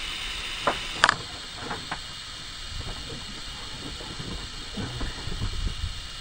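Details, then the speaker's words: Ford F250 engine, rubber stopper jammed in cylinder six spark plug hole while turning the crank to close valves before head work; steady high hiss of air rushing past an open valve, then a sharp pop when the valves close. "let's see what happens is you hear that air rushing then all of a sudden you'll hear it pop like that and you'll know that your uh valves are closed"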